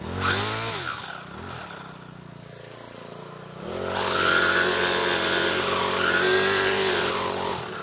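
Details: Troy-Bilt four-stroke weed eater after clutch repair and reassembly, cold on half choke after priming; buzzes at idle, then revs up cleanly twice and drops back smoothly; runs and responds to throttle normally.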